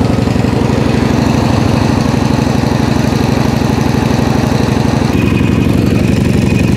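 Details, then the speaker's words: PowerSmart MB5040B 4400 W generator, cold start at 25°F with full choke and eco mode off, no load yet: a steady, even single-cylinder chug at constant speed with no misses or knocks. It is idling smoothly. "it's now running smoothly"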